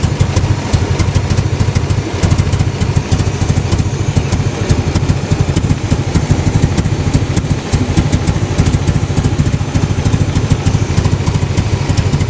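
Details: Toyota MR2 at idle: low lumpy idle with uneven beats about three per second that never settle; rough idle, cause unknown.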